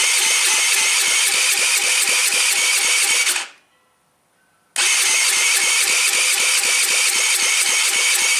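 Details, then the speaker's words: Taotao without muffler, spark present, choked and given starting fluid: steady fast cranking about four strokes a second with a short gap, no firing; cranks but won't start, possibly valve adjustment or cam timing, unconfirmed. "Well, looks like I need to do some more digging and find out what's going on."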